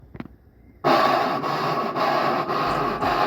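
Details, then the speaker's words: Brastemp BWK11/BWG11 washing machine during spin: a steady harsh scraping grind starts abruptly and holds with faint pulsing, like scraping or knocking; possibly caused by a worn coupling pulley not working correctly. "a sua maqu laava tá fazendo um barulho estranho durante a centrifugação como se tivesse raspando ou batendo é possível que o problema seja causado por um desgaste no sistema de acoplamento"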